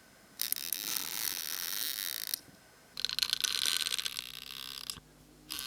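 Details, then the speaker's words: 1954 Curta mechanical calculator, long stuck, possibly dropped long ago: bent main shaft turned, light crisp ratchet clicks in short runs about four per second, no scraping or binding; turns freely and sounds good. "I'm going to try turning the main shaft now, and even though it's still bent, it does seem to turn, and it even sounds good."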